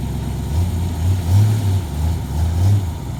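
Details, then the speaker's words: 1963 Corvette split-window, revived after sitting for years, starts and runs with a deep, even V8 rumble, steady low beat, no knocks or misses, not overly loud after switching over to electric; normal, healthy running. "we're gonna start it up oh yeah yeah no no that's nothing crazy loud we switched it over to Electric"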